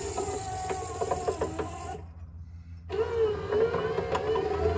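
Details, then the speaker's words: 1964-66 Ford Thunderbird convertible rear quarter power window mechanism, bench-run after repair: motor whirs steadily with irregular crackle and snapping clicks, pausing then resuming; unwanted noise, cause unclear, unit to be taken apart again. "okay now but i don't like the noise it's making i don't like it at all so i'm going to take it apart again"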